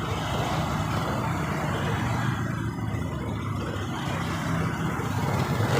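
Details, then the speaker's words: Honda Beat LED Deluxe scooter with a code 7 history: an irregular, choppy sputter that comes and goes on initial throttle and is sometimes normal. The cause is not confirmed; the scanner later shows an EOT temperature of 72. "Ini dias awalnya merebet seperti ini. Nah, ini. Nah, itu blebek blebek blebek gitu, Bro. Ya, baru naik gasnya seperti ini."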